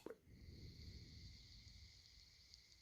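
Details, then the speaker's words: PS3 Slim cooling fan considered for a PS4 Pro, hand-spun and coasting down: faint thin whine with a soft uneven scrape underneath, audible all the time; the fan bearing is dragging. "okay so this one is maybe a little bit quieter but you still can hear it all the time"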